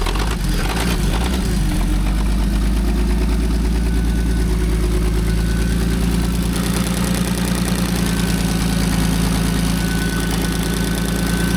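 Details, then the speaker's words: Old Allis Chalmers forklift six-cylinder, running on all six after a stuck lifter was freed: steady low idle with a faint uneven knock; suspected worn rubber in the hydraulic pump coupler, unconfirmed. "You know what that noise is? It's the coupler on the hydraulic pump. Probably got a low joy in it. The rubber's gone."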